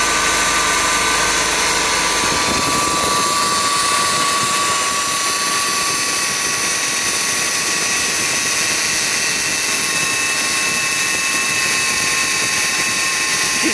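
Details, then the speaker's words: 2017 Subaru Forester, about 20k miles, AC not cooling: steady high drill-like whine near 1 kHz from the AC compressor at idle, growing louder. Cause was a bad condenser under a service program, later replaced; recorded before repair. "see information on the compressor you see the noise is getting louder and louder this from the compressor for sure"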